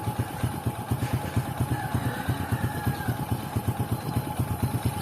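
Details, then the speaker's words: Honda XRM110 idling right after timing chain replacement with timing marks aligned; old chain was badly worn; even single-cylinder thump at a relaxed idle, no top-end rattle or chain slap, the earlier noise gone; normal idle. "So, yan, napakaganda na po ng tunog niya. Wala nang ingay dahil nung kanina."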